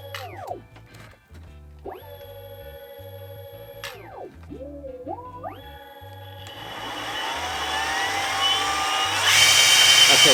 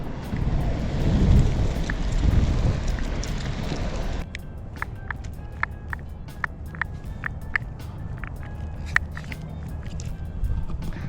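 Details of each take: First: New Exway X1 Pro hub-drive electric skateboard powering up with its controller turned on: a quick run of rising and falling electronic chirps, then a steady whir; normal, healthy startup beeps. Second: Exway X1 Pro hub-drive electric skateboard while riding: sharp, uneven clicks about four a second over the rolling hum; rear wheel bearings popping loose.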